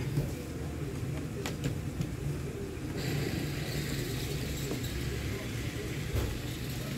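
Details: Ventisol fan, test run after reassembly with bearings; rotor aligned with stator: low, even hum with a smooth steady rumble and no scraping or knocking; fan motor quiet and healthy.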